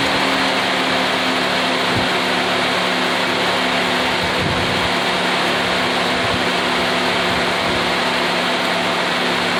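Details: After exhaust manifold gasket replacement: steady even idle, smooth low hum; leak sound much reduced, slight hiss said to disappear once fully hot.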